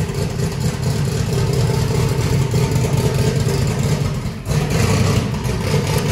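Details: Truck just converted from gasoline to methanol, first start with brake clean: lumpy, deep V8 idle with uneven blips and a brief dip mid-run; firing but running rich, the start tune needs adjusting.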